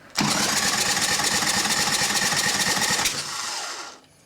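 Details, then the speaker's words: Freshened Evo Sportster 1200 chopper motor before first start, cranked 3–4 seconds with a finger over the plug hole: strong, even compression pulses, every stroke alike. It was hard to turn by hand; compression is healthy. "put a finger over the plug listen to this [Music] thing sounds great now that doesn't even matter I knew that that sounded good just cuz it was so hard to rotate over by hand"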